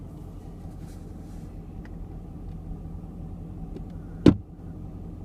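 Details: 2017 Chevrolet Camaro cabin: single sharp pop as the recirculation flap moves, recirculation actuator popping noise.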